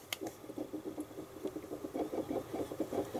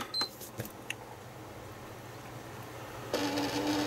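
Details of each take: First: PS3 Blu-ray drive while installing a game after a full service: steady soft ticking about six taps a second as the read head moves back and forth seeking on the disc; normal operation. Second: PlayStation 3 Blu-ray drive with suspected two discs stuck inside, at power-on: a few light clicks then a loud rasping, buzzing whir as the drive spins up; abnormal disc drive noise at power-on.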